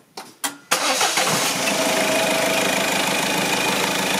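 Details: Citroën Xsara Picasso 1.6 HDi diesel, 2011, started after oil/filter service and fuel filter change with fuel circuit primed via bleed screw; two brief cranking bursts, then catches and settles to steady, even diesel idle clatter, normal start.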